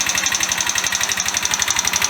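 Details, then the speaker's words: Free Chinese GY6 125 cc scooter after an engine rebuild with new cylinder head: fast, sharp metallic ticking roughly ten per second over the idle; owner hopes it's top-end valve clearance or the new head bedding in, not the bottom end. "Right, well, she's running, which is good, but she's very tappy."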